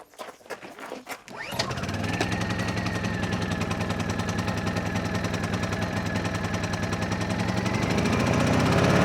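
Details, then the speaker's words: Honda EU2000i generator after carburetor cleaning (previously only ran with choke on), warmed up with eco mode off: fires after a few pulls and settles into a steady, even drone with no hunting or surging; good power. "Okay, still working? I'm not going to turn it on eco mode. Okay, so we've got good power."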